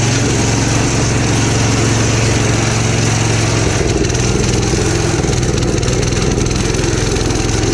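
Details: Gravely Commercial 12 34" Snow Cannon snowblower, cold start after about a month unused, full choke applied by hand: uneven, stumbling chugging; possibly fuel starvation.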